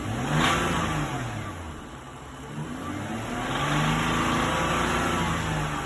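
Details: BMW X6 engine revving up and down twice with a rough rapping knock under the exhaust note following engine speed; cause unknown; engine knock.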